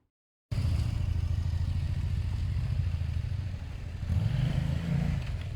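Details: Motorcycle test-ridden after its exhaust leak was sealed and the exhaust wrapped: an even, low putter that swells briefly with throttle, with no ticking or puffing from the header; it runs clean and the leak is no longer heard.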